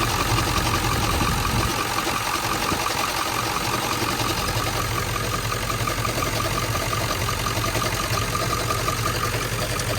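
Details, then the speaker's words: 1997 Ford F-350 7.3L Powerstroke diesel, 164,000 miles, warm idle, stethoscope on front pulleys: light, fast chattering tick with faint steady whine, loudest at alternator; first sounded like rod knock, traced to worn alternator bearing. "a lot louder right there a little bit there too it might be one of these pulleys right here it sounds like it's coming from right in here"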